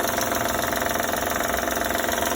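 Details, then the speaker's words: 2012 Honda Odyssey at idle: a fast, even ticking rattle from the front of the engine. The hydraulic timing belt tensioner is leaking oil. "Tenemos un ruido muy característico estos motores. Al parecer es el sensor de la correa y de nada."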